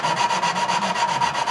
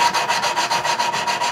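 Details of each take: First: Tecumseh small-engine valve job, hand lapping a valve with suction-cup tool: steady back-and-forth gritty rasp about five strokes a second, grinding tone lessening as the seat smooths, restarting when lifted. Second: Tecumseh engine valve job: valve hand-lapped, back-and-forth rasping about three strokes a second, a pause, then coarse grinding restarts after the valve is lifted and reseated.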